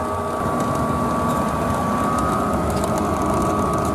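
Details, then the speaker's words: Heil DC90 gas furnace after replacing the draft inducer with a Fasco A170: smooth constant motor whir, no rattle, grind or wobble, far quieter than the old motor heard through the whole house; normal draft inducer operation. "and it works and holy cow is it way quieter than running good I wish I had some video of what the old ones are like you could hear it running in the whole house but this is amazingly quiet"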